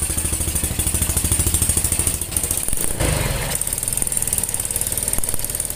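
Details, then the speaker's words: Yamaha Jupiter Z / Vega ZR-type single-cylinder motorcycle after repair of a rough, ticking engine: even idle pulsing about 200 times a minute with a brief blip, no tapping or knock; sounds okay. "hai oke mas bro suaranya oke Ya lumayan"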